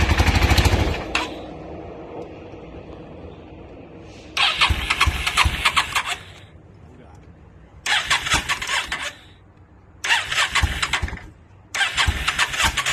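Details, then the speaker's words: Newly acquired 2002 Yamaha V-Star 650 motorcycle with rusty tank: four separate bursts of starter cranking, about 1.5 seconds each, never catches; owner suspects he flooded it after it briefly ran. "i know i probably flooded it out and all kinds of stuff i was just real anxious to to hear it start which i i did get it running for a second which you guys will see but i'm pretty sure i flooded it out"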